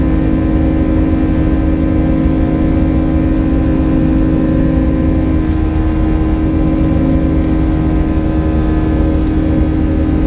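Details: United Airbus A320 climbing out of Houston IAH for New York LGA, recorded in the cabin. Classic buzz-saw engine roar with a thin, high-pitched tone from about 1:33 until level-off; the source of the tone is unknown.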